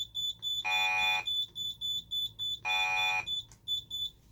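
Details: Simplex 3001 alarm panel, fire panic (keys 1 and 7) triggered: shrill, rapid high chirps with two longer buzzing blasts between.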